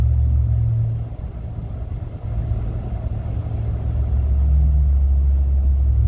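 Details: 2019 Ram truck, owned from new for one year: deep, steady bass boom filling the cabin while driving, a low-frequency drone present since purchase; dealer could not replicate it, and suggested cracking a window or using tow/haul mode.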